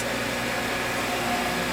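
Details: Irrigation pump motor running again after being unseized. Steady, even hum with a faint constant tone, no knocking or grinding; running normally.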